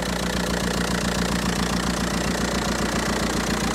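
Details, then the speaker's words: Audi A4 convertible diesel with an intermittent running issue, idling during fault scanning: steady even clatter around two and a half beats a second with no odd knocks; normal diesel idle. "engines aren't very refined but they're a good reliable engine"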